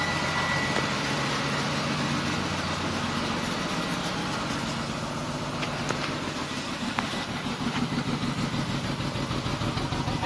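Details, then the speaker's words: 2002 BMW 525i with the check engine light on, idling with an uneven, stumbling beat as firing pulses drop out; the scanner shows misfires on cylinders 2 and 4. "vamos a ver bastante fuerte el sono se oye la falla no sé si lo Oigan pero está fallando"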